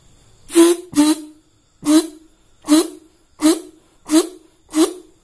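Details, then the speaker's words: Yamaha RX-King two-stroke leaking reed valve after bending the loose petals by hand: seven short blown bursts each give a clear buzzy trumpet-like note it lacked before; reeds now sealing properly. "Benda yang sebelumnya tidak terdengar seperti terompet ini sekarang terdengar seperti terompet, dan hasilnya luar biasa, Bro."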